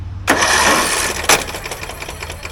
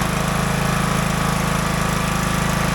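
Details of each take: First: Craftsman DLT 3000 riding mower, about 2010-2015, whose owner put gas in instead of oil; on a jump pack the starter whirs fast and light with no compression, spinning too freely; suspected internal failure such as a detached cam gear. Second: Craftsman DLT 3000 riding mower, about 2010-2015, after engine repair and reassembly with the shroud back on; the single-cylinder engine runs a steady, even drone with no knocks or rattles while driven through the gears, healthy.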